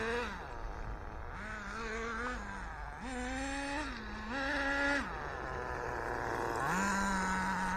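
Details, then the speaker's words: ACME Condor 4WD nitro buggy on its maiden run after a rebuild, engine not very hot: a raspy, burbling buzz that swoops with the throttle and never clears crisply, still smoky and running rich but improving. "Still smoke and rich. It's better"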